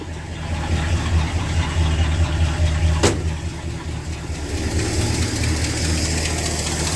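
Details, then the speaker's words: 1968 Ford XL convertible, cold idle after about three years sitting: fast, uneven puffing tick over low rumble from a badly leaking exhaust manifold on one side, later found warped. "here's the first thing we have to fix before I go out in public in this thing it's a ridiculous exhaust leak on this side"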